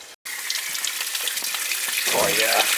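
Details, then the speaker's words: Gas boiler heating system with air in zones, after clearing electrolysis from the feeder valve, zone valves bypassed for purging: strong, steady rush of water through purge valve with no air sputtering; strong purge flow. "can you guys see that you see the flow now i mean that's a lot better that's what we want"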